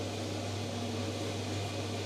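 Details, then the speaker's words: Electrolux clothes dryer after a fan replacement: steady, even low hum with a constant rush of airflow and no scraping or rattling. The fan runs smoothly, like new. "so let's just press play ah how good is that perfect like a new one"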